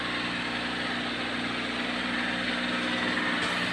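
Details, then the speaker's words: Engine after stuck PCV valve fix for white exhaust smoke, held at steady light rev and idle: smooth even hum, no knocks, rattles or stumbles; noise gone, no piston overhaul needed. "Ito na oh. Andar na may tuwang-tuwa ng boss namin. Wala na yung ingay."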